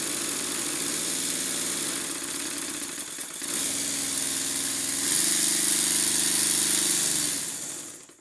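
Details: Stuart Models Double 10V model steam engine, freshly oiled, sped up under heavy load (Scotch-Brite on flywheel): quick, even chuffing, no knocking; running well, though timing needs slight adjustment and an eccentric sheave grub screw is broken.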